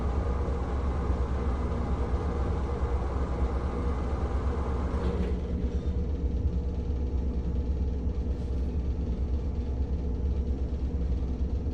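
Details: NuTone 696N basic exhaust fan, caked up with dirt: constant low, heavy rumble far rougher than a small fan should sound; worn motor bearings.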